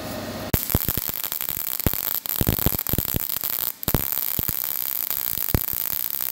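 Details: Everlast PowerMTS 221 STi MIG welding with wire feed raised toward 350: steady crackling sizzle with only occasional sharp pops; wire speed and voltage close to right.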